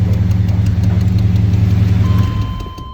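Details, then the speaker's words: Freshly swapped engine, cold start: smooth, even low rumble at a high idle on the electric choke, expected to fall to about 800 rpm, then shuts off cleanly; runs healthy. "that's a high idle with the electric choke and she'll fall down to about 800"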